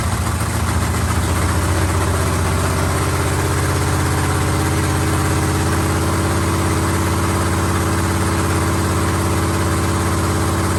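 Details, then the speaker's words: Carbureted LS7 V8 with a Stage 3 cam and heads in a 1971 Camaro, first fire on break-in oil with no coolant yet: a deep, loping idle with an uneven chop about three beats a second. This is normal big-cam idle. "so here you guys go we have ls7 you can kind of hear the cam chop in there a little bit"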